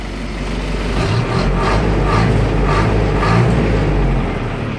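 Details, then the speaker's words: 608 truck diesel heard from inside the cab after adding sealing: deep, even drone with steady soft pulse, no knocks; engine running, noise and heat in cab much reduced. "Pode perceber que o motor tá ligado, mas o barulho aqui é bem menos. É bem menos mesmo."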